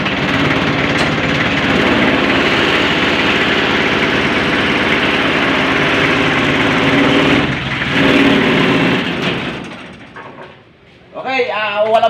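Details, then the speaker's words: Owner-type jeep, 4D30 engine, 24 volt, charging complaint: even diesel idle rattle about three and a half beats a second, no misses or knocks; alternator fine, fault was a shorted alternator wire. "Okay walang problema ang alternator sinot lang"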